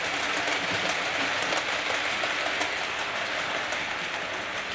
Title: Wheel squeak fixed on Coronation Scot carriage.